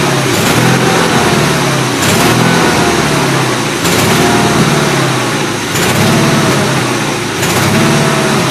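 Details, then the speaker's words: Gravely 8163-T below half throttle: engine speed rises and sags about every second and a half, regular hunting surge; carburetor suspected, running a bit rich, needs carb adjustment; not confirmed. "see anything down below half throttle it's kind of served"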